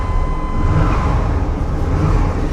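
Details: 1998 Chevy C1500 2WD, 5.7 Vortec V8, automatic, sold as non-runner, just started after retries: short stretch of low steady engine rumble with faint whistle on top; engine caught and is running, security light off.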